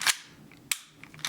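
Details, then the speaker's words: P320 gel blaster with a lazy hammer: sharp snapping clicks as it is cocked and then falls on its own, slam-firing. The hammer group is worn and a spring there is suspected; the whole hammer group is to be replaced. "So see that? It didn't even cock. It did, but it released itself."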